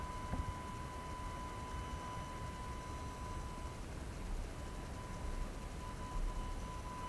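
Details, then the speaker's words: AFI VS-3SG 3-axis handheld gimbal recorded at night in quiet surroundings: thin, steady, unchanging high-pitched whine from the stabiliser motors, loud enough to be heard in recorded video; gimbal motor whine. "okay so I think it's pretty apparent that uh this Gibble makes noise that you can actually hear in a recorded video"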